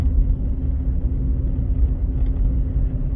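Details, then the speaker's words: Ford Fusion hybrid road test after wheel bearing replacement: only low steady road rumble, no roar changing with swerving; a very slight noise turning right hints the other side's bearing may be starting to go. "It sounds nice and quiet now. You hear no change. So that's good. I'm happy with that."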